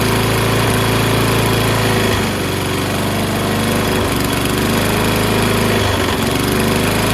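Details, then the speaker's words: Toro Recycler self-propelled mower, Kohler XT675 6.75 engine, after cleaning a fouled plug and a rusty flywheel brake: fast but uneven chugging with dips and stumbles, running rough. Owner suspects gas that sat for months; light muffler smoke from oil residue. "Sounds not as smooth as I'm used to, but it's probably due to the ass gas that's been in there for months."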